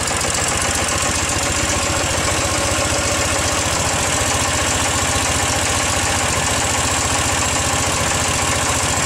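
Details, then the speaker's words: 2008 Ural Tourist sidecar motorcycle twin, cold start after exhaust-leak tinkering, plugs reinstalled, vacuum hose attached; busy rattly idle settling to about 1050–1100 rpm, even ticking with faint buried knock, smoothing as it warms: normal cold idle. "as it continues to run it a little smooth out and kind of steady down bottles around 1050 1100 rpms or so"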